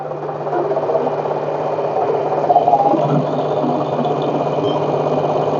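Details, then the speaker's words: LG washing machine showing 1E error, in spin-dry mode: loud steady whirring rumble with uneven rattle; not the bearing, noise stops when tub held steady, comes from tub below, possibly shock absorbers. "ตอนนี้เสียงที่ดังเนี่ยไม่ได้เกิดไปจากลูกปืนนะครับตอนนี้เดี๋ยวจะจับถังให้นนี่พอจัถังแบบไม่ให้มันระบัดก็เงียบเลยนะครับ"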